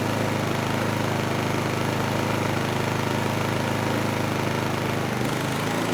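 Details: Honeywell HW2000i 2000 W inverter generator, about 20 years old: steady even drone carrying the load, no misses, hunting or surging; oscilloscope sine wave smooths out under load.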